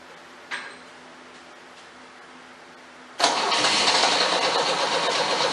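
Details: 1977 MGB after budget rebuild, electric fuel pump, coil fed 12 volts from fuse box amid previous owner's bad wiring: quiet click, engine catches at three seconds, settles into steady even idle, no knocks or misses; runs good.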